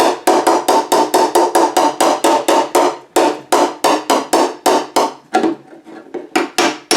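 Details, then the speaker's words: Rust repair on the bottom passenger-side fender of a 1963 Chevy C10. Rapid even hammer taps, about three per second, with the ring dulling and changing when the dolly sits right under the dent, which is then pushed out. "I feel a dent right there. I'll try to hold that dolly right on that dent, and it makes a different sound."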